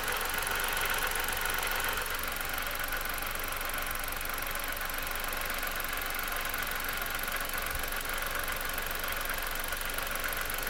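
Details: 2009 Dodge Caliber idling with a loose, uneven engine-bay rattle of roughly four taps a second; owner unsure what it is.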